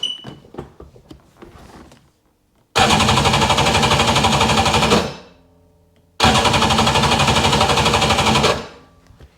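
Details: 2000 Sea-Doo GTX 951 cranks in two bursts of a couple of seconds, quick even chugging about four per second, never catches or fires; no spark, cause unconfirmed; sensor coil reads about 224 ohms, within spec.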